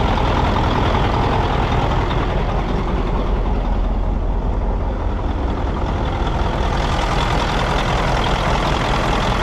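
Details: Mack CL713 E9 V8 diesel, 500 hp, just purchased: deep even rumble holding steady with no knocks, misses or hunting; runs smooth, normal idle.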